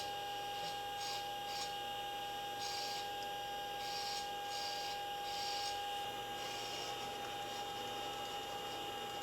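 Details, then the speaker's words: Repaired Apollo Lunar Module FDAI attitude indicator, ball driven by repaired servo amplifier: faint scratchy grinding bursts over steady electrical hum as the servo turns; sounds grindy, cause unknown. "So That sounds grindy. yeah."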